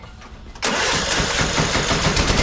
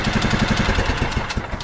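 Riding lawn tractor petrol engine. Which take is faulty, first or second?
first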